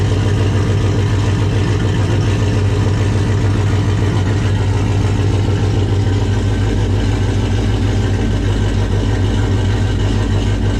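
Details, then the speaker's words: 1995 Dodge 5.9 Magnum V8 in 1951 Dodge dually with new Comp Cams Xtreme Energy 20-746-9 cam, 60lb injectors, GT45 turbo: idle around 850 no longer stock-smooth, deep slightly uneven lope, about three pulses a second, all eight firing fine. "it sounds so good like it finally doesn't have that stock like real smooth idle it's got a little bit of chop to it"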